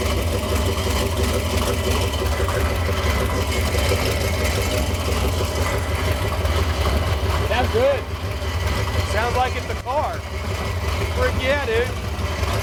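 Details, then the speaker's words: 1968 Dodge Coronet V8 four-speed, off the road for decades, just started after timing adjustment: a loud, lumpy idle with a constant loose metallic rattle, likely the loose exhaust header collectors. "I hope that that's the collectors making. They're loose. I mean, they've been rattling the whole time if we've messed with them."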